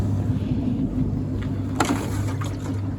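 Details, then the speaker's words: Beko DTIKP71131W heat pump tumble dryer, outdoors in the cold, on a 3-hour cycle: low pump hum with wet slurping and gurgling as the drain pump restarts, confirming an intermittent fault; owner suspects the rear pump. "so it started pumping again so it is an intermittent fault"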